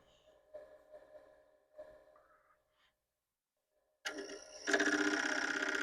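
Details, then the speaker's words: Commodore PET 4040 dual disk drive with replacement main board: light ticking, pause, then loud rapid rattling about four per second, heads banging while directory stalls; cause unknown, suspects drives, boards, power supply/capacitors or cable. "that's a lot of head banging we're now at four minutes almost 30 seconds"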